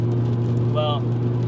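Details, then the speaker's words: Toyota E130 Matrix XRS (2ZZ-GE) idling smooth and steady with even beat, no misses or knocks, after repairing cylinder 1 spark plug threads blown out by overtightening, new OEM Denso coil pack fitted, fresh oil and filter; normal running. "got the Matrix running as you guys can tell. They did a oil change, too."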